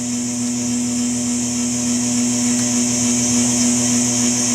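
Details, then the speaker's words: Tube guitar amp converted from Hammond AO-29 organ, cranked into attenuator after rewiring with shielded leads: steady hum with high hiss-squeal whose pitch changes as wires move; parasitic oscillation from long lead dress, less bad than before. "you can hear that there's still some uh squeal so let's move these wires around you can hear the pitch changes"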